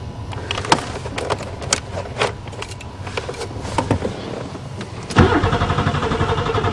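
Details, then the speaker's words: Buick Regal being started in spring after sitting over winter, new battery fitted, fuses good, fuel pump heard running: starter grinds steadily for a couple of seconds but the engine never catches; crank, no start, owner suspects no spark. "let's try some miracle juice well it must have no spark what the I'll fix it another day"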